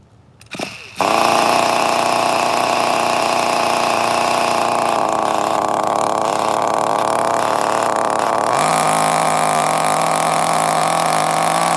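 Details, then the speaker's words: Vintage 2002 Tamiya Terra Crusher 1/8 nitro monster truck, idle set very low, fuel just primed: engine catches and holds a high steady buzz that drops lower partway through; too rich, throttle trim being raised. "too rich too rich i'm raising the throttle trim"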